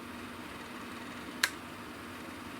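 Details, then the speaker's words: 1938 Robbins & Myers 16" Double Diamond pedestal fan, restored with rewiring and oiled motor, oscillating: soft steady motor hum with even air hiss, no rattle or scrape, pitch drops from high to low; runs normally on low speed. "it works in low too you can hear the pitch of the motor change a bit high low low yeah it's got plenty of piss and vinegar"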